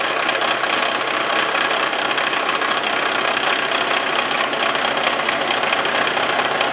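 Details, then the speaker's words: Face mill on a Wells Index vertical milling machine, cutting tool post holders for an antique wood lathe: a harsh chattering rattle as the cutter crosses a hole and each tooth strikes both edges, a harmless interrupted-cut noise. "Then it gets over that hole, you start getting an interrupted cut. And you hear that noise. That's just that tooth hitting it on both sides."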